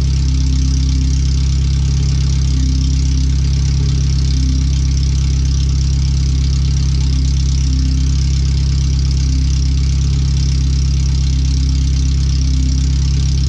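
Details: First startup after a new header and fuel filter, with O2 sensors moved and a wideband added; checking closed-loop behaviour on the header only, no exhaust fitted. Very loud, blatty idle with a steady deep drone, slight pulsing and no muffling. The computer reads 5–7% rich.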